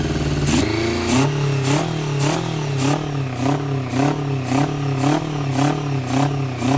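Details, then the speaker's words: 1990 Honda CBR600F being revived, after starter fluid start, choke nearly off; idle surges up and down about twice a second; owner suspects air leak; erratic surging idle. "I got the choke pretty much all the way off, but I'm still having that issue."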